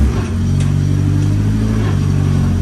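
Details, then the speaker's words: Nissan S15 with newly fitted upgraded gearbox, running on the lift: smooth, steady drivetrain hum in second gear, even pitch with no whine, knock or grinding; gearbox sounds healthy. "It's running on the lift there now. We're in first gear, we have gears! Yeah, so full second, clutch. Yeah."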